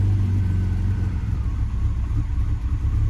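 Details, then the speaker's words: 1993 BMW E36 M3, abandoned, fully cold start: rough misfiring with idle surging up and down, then stalling, and no ticking; owner suspects a vacuum leak. "Misfiring, but no ticking, which is good. And now it's kind of stalled. So, it kind of honestly, the idle going up and down like that kind of kind of makes me think vacuum leak"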